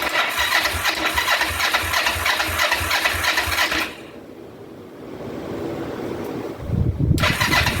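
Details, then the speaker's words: 2004 Kawasaki Vulcan 500 stored two or three years, petcock on prime after float bowl reassembly, choke applied: even cranking about three beats a second for four seconds, a pause, more cranking without firing; won't start, cause not confirmed. "maybe let that uh gas sitting there for a minute see if it works its way down into a cylinder or two and we'll be back in a second"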